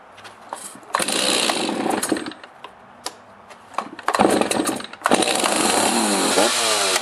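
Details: Stihl MS260 chainsaw started after a chain brake hand guard replacement to test the brake while running: it revs up and down cleanly through several blips, then holds a strong steady buzz. Normal running.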